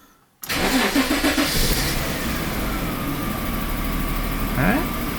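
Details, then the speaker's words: Daimler XJ40 after first service work: catches at once after a short crank and settles into an even, steady idle with no misses or knocks, smoother than before; runs fine. "Otherwise seems to be running fine. Let's have a look at the engine bay. That's hard to convey on camera, but it feels like it's running a little smoother than before."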